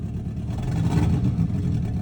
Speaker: That's not cool. Stop misfiring.